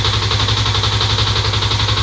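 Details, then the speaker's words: Fuel-injected motorcycle idling on a weak old battery (11.9 V) during ECU diagnosis; fast even clattering tick from a loose cam chain not yet repaired. "Mohon maaf kalau suaranya ada keletek-kletek. Itu suara dari Keteng ya, Guys."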